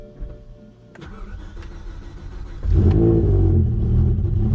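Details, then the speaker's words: BMW E60 M5 cold start: it catches after a short crank and idles choppy and lumpy for about 10 seconds before settling; rough idle on cold start. "yeah rough idle and that's all the longer it does it for"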